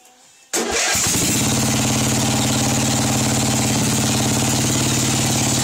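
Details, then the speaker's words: Craftsman 13.5 hp engine that was found with no oil and was smoking, owner suspects a cracked piston: it catches and settles to a lumpy, uneven idle well below the carburetor setting, with an oil smell. Rough low idle. "yeah this is a lot lower than what I have the carburetor set for idle I can smell the oil"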